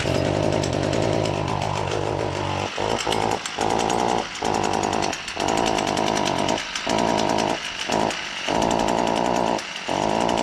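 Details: Chainsaw still under warranty: revving hard with a harsh, rattly buzz and repeated sharp throttle drop-outs; abnormal noise, cause unknown.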